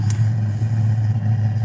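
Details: Webasto Airtop 3500 12V diesel air heater, relit after going out: steady low hum with an even roaring burn, no sputter or cut-outs, firing and running normally with warm air coming out.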